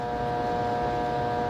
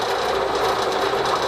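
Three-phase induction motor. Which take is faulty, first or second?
first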